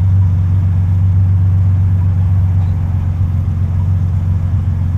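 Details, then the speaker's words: Nissan 300ZX Z32 on first test drive on a hot day after custom exhaust system and centre bearing repair; deep, steady low drone with no puffing or ticking; earlier exhaust leak raspiness gone. "Certainly the raspiness, the exhaust leak sound is gone. It's good, so we definitely fix that bit."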